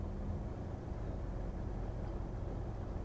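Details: 2022 Freightliner M2 112 Summit Hauler diesel, with idle raised through the cruise-control switch for a quick warm-up: a steady, even, low rumble with no knocks or misses. This is a healthy raised idle.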